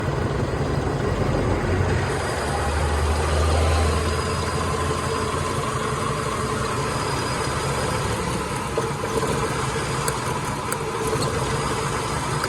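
A petrol engine idles with an uneven, loping rhythm that suggests a cylinder missing. Cause suspected, not confirmed.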